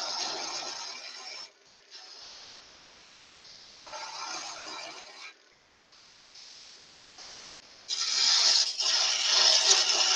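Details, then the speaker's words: Wood lathe, spindle thinning in the middle while roughing to a broomstick shape with gouge or scraper: harsh rapid scraping bursts, about three per second, rising and falling with each pass; spindle chatter, just vibration from the workpiece getting thinner. "that's just vibration what's getting thinner"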